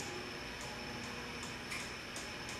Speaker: like a lot of these fans that have the cardboard box kind of variable speed control they do they do hum quite a bit this one's no exception um nothing necessarily wrong with the fan